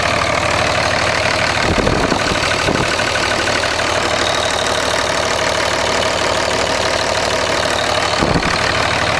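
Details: 2004.5 Ram 2500 Cummins diesel: regular tapping knock about three per second over the clatter; heard under load in gear and when the truck bounces off the brake, gone at idle in park; cause not confirmed.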